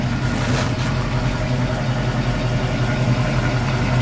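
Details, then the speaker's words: 1968 Ford Mustang coupe, 289 V8 with 3-speed manual, idling: deep, steady small-block burble with an even low rumble and no knocks or misses; normal healthy idle. "Like you said, listen to it idle here. I mean, it's a great car."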